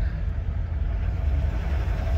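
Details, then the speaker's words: Diesel truck with 309,000 miles, steady low idle with a faint unevenness in the beat, right after clearing cods with check engine light off; owner can't tell without load whether it's still missing. Possible misfire, not confirmed. "so it's kind of hard to tell check engine light is off just because i just cleared it it's kind of hard to tell without putting it under a load if it's still missing or not"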